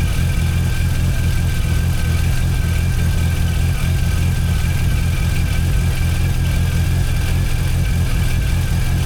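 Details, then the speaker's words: Rebuilt Mazda RX-8 Renesis rotary with RX7 apex seals and boost clearance, low-temp Mishimoto thermostat, first start after install, 17 psi oil pressure: deep, steady rotary burble at idle with faint hiss, no knocks or dropouts; normal idle. "So, as you can see, it is uh well, as you can hear, it's running. Uh, it's been going now for about uh 20 minutes."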